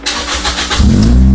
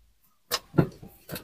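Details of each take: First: Toyota Vios Gen 2 after replacing the faulty fuel pump that caused it to stall: a short crank catches at once and settles into an even steady idle, check engine light off; normal start and idle. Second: Toyota Vios, cold, won't start: brisk, strong cranking about three and a half beats a second that never catches; the starter is fine and the no-start cause is still being diagnosed.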